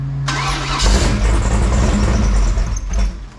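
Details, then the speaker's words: Fresh 496 big-block Chevy V8 on a run stand, break-in: starter churns unevenly at a few hundred rpm with no firing after it ran out of gas; fuel-starved dry carburetor, still needs priming. Crank, no start. "well around just fine until I run out of gas see what takes the fuel back up to it there were a couple good pumps switch on"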